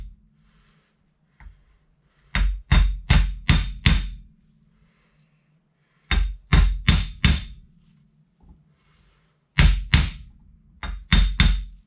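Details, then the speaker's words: Mercedes W124 1989 300 CE front wheel bearing job: bursts of sharp hammer taps driving a new bearing race into the hub, the ring changing in pitch as the race fully seats. "Again, you can hear the sound change. So I just tap it around and make sure it's all seated. You can tell it is by the sound."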